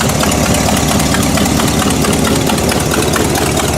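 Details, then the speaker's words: Buick engine restarted after sitting, just after spark plug wire replacement: even, steady idle with low rumble, no missing beats, popping or knocking; sounds healthy, though the original problem later returned. "There she is. Running perfect again. All looks good."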